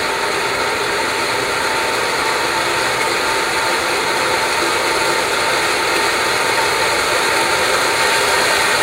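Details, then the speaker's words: Lab flow loop with a ball valve installed backwards and outlet back pressure at low pressure drop: smooth, even rushing hiss with no crackle or popping; ordinary turbulent flow noise, no cavitation. "First off we're going to show you just some basic turbulent flow noise."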